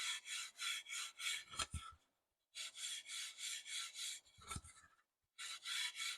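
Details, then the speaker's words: Pine board, hand plane stroked over a surface from a DeWalt DW735X thickness planer: quick, even scratchy rasping about three strokes a second, rough over the power-planed tear-out compared with the smooth hand-planed area. "And just to uh to show you the difference, that's a hand plane surface and that's a power plane surface."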